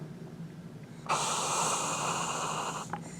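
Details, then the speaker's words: 1970 Dodge Charger Midland Ross brake booster (drum brakes), engine shut off, reserve-vacuum test: a clean two-second rush of air into the rear hub as the pedal goes down, then a short puff; normal booster intake hiss as vacuum depletes. "now like I said as the vacuum goes down in the can we're gonna hear more at Mossad air rushing in to take its place it's called physics"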